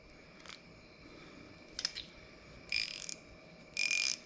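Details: Old 1/2" drive SK ratchet (40170/42470) after rebuild, clicked in both directions: crisp, even bursts of fine clicks with no slipping or skipping; the pawl works properly.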